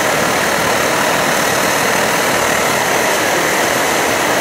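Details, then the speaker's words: Optimus Hiker Plus liquid-fuel pressurized stove at full blast, kept pumped up, running nicely; steady, even roar with faint sputter, no surging or dying off: normal burner roar. "The characteristic blue flame, the sputtering of the Optimus stove. So there you go. Stove's running."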